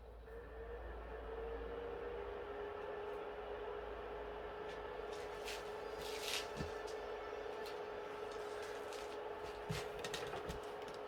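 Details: PS3 with shutdowns under load, running on the bench: steady, even fan whir with a constant soft hum, no beeping or cut-out; normal running.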